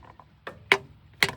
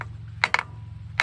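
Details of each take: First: Hammer drop test on valve stems of a 1962 Buick LeSabre straight-eight stored outside for decades; some taps ring and rebound while others land flat and dead, like hitting the head; four stuck valves found, both intake and exhaust. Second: Hammer drop test on valve stems of a 1962 Buick LeSabre straight-eight, stored outside for decades; bright ringing tick with rebound, so this valve moves freely, unlike a stuck one that lands dead.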